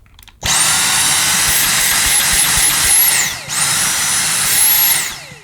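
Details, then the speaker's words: Dyson V6 Fluffy cordless vacuum with its Digital Motor V6, new out of the box: a high motor whine surges and drops every couple of seconds. The pulsing signals a blocked airway, not a fault. "That pulsing you can hear. That occurs if you block the machine. It just tells you you've got a blockage. It's not a fault."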